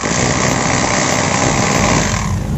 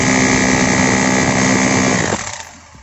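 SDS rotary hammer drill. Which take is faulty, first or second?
first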